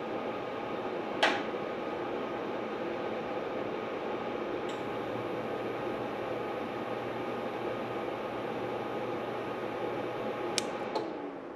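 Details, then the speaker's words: WZRELB 3000W pure sine wave inverter in an overload test with heater loads: steady hum under heavy load, then a sharp snap as the fuse blows after about 250 A for three seconds; the cooling fans never came on. "There She Goes it took 200 amps it took about 250 amps for about three seconds"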